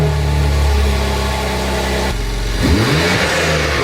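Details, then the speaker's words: Car after aftermarket intake, revving stationary: engine revs hard with loud sucking whoosh over deep growl as throttle opens; normal aftermarket intake induction noise. "Oh, you can hear the suction on that. Hey, so it makes noise."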